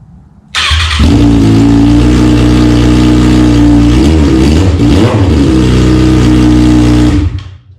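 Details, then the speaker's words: 2009–2025 Kawasaki ZX6R after decatting the stock header, quick startup before the slip-on is fitted: harsh, loud raspy unmuffled bark, crackling at idle with a sharp blip; open header, no muffler. "Definitely sounds way different, yo. Hopefully it doesn't sound like that, because that doesn't sound very good, but just to clean it out a little bit."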